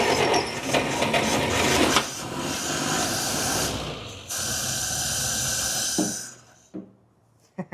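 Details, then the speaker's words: 1947 Dodge pickup abandoned in a field for 33 years, first start attempt with the clutch pinned in and the gas tank likely drained: the engine cranks, catches and runs ragged for a few seconds, then dies with no fuel supply. ">> Oh, yeah. It was It was idling right there. Sounded good."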